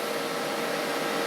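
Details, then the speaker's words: Loud, even rushing air with a faint steady hum from an old PC that still boots; the processor cooler fan is running noisily. "this is officially the loudest PC I own there's still work still boots up so I'm happy I'm just not happy with that noise"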